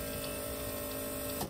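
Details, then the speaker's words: Twin fuel pumps (in-tank pump plus Bosch 044) on a turbo LS fuel system, switched on manually to pressurize it: steady high electric whine, the 044 dragging down as it starts pushing fuel, cutting off cleanly; normal fuel pump operation. "where hear that 044 drag right down when it starts pushing fuel I think it's working"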